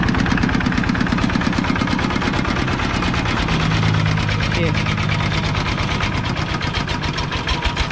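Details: Used 105 LM single-cylinder diesel walking-tractor engine with front hand crank, described as running soft: steady, even thump at a slow idle, no knocks or misses; normal smooth running.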